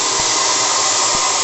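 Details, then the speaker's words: Bench test of the live-steam RC launch boiler's gas burner and regulator, with the gas bottle heavily chilled and set in a bowl. The burner relit after steam pressure dropped and runs at full flame. A steady, even roaring hiss with no sputter, though some flame flashback was seen. "le brûleur est reparti. À fond les ballons."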